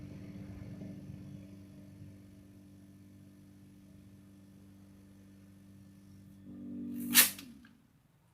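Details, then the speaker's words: Fridge compressor started with a capacitor instead of a relay; the capacitor is touched on and removed once the motor runs. Steady low hum with a faint buzz, even and unbroken; the compressor is running normally. "Coba kita jalankan. Ini tempelkan dulu. Ini setelah mesin hidup kita lepas."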